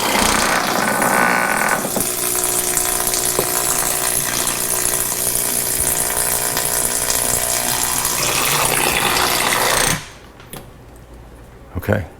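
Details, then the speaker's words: Tuttnauer 2540EA autoclave, replacement water pump: small pump hums steadily with a smooth, even tone, then stops cleanly; runs properly, whereas the failed pump was silent and delivered very little water while the solenoid clicked. "it used to make a noise like this but as of yesterday it was making no noise and there was a very little bit of water coming out"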